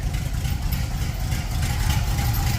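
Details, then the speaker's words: 1930 Ford Model A street rod with 283 small-block Chevy, Borg T10, parked since 1973: steady, quiet even idle rumble, slightly loud from exhaust leak; good but bouncy oil pressure, motor in good shape. "Yeah, it's so quiet. It's only somewhat loud because of the exhaust leak. Yeah, this motor is in good shape."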